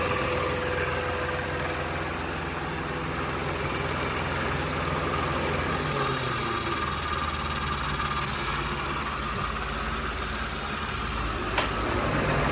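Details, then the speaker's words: Mitsubishi Mirage idling with A/C compressor running after adding rubber O-rings to air filter box mounts; steady smooth idle, no rattle or vibration buzz from the air box. "ตอนนี้คอมแอร์ก็ทำงานปกตินะครับตัวนี้ก็เลิกสั่นแล้วนะครับ"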